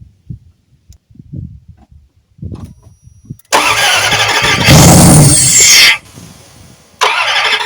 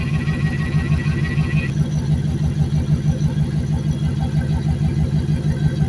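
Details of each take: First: Junked Dodge Dakota V8 with dead fuel pump, fuel fed by hand into intake while another person cranks: starter cranks, engine briefly catches, then runs rough and uneven only while hand-fed and won't stay running. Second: Junked Dodge Dakota V8 parts truck, first run after sitting, left idling to seat rings before revving: steady V8 burble about three pulses a second, even and settling, faint whir above; normal warm-up idle.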